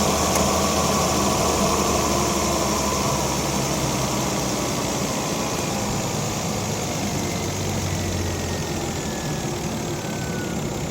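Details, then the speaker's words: 2011 Volvo XC60 just started after a light tune-up with new Bosch spark plugs and the coils refitted. It settles into a smooth, even idle with a steady low hum and no misses or ticks, and the engine runs clean and healthy. "Doing pretty good."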